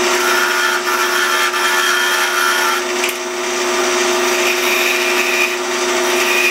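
Even, steady spinning hum with a constant pitch and no chatter or thumping; the lathe is turning the piece smoothly.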